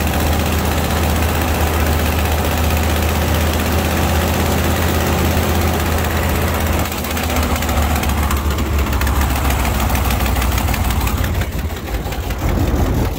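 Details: 1980 Ford LN700, 370 big block V8 four-barrel, after sitting a few years, on choke: deep lumpy idle with steady low throb and exhaust rasp, running on its own and hitting on all eight; known bad exhaust leak. Normal idle after long storage.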